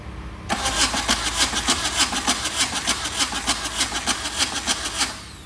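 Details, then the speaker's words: VW diesel swapped into a Suzuki Samurai, cranked with the injectors loosened and no fuel coming out: steady cranking at about three compression pulses a second, never catching, and it smells of ether. The owner suspects the injection pump isn't injecting. "I smell ether. So I think the injector pump is not injecting."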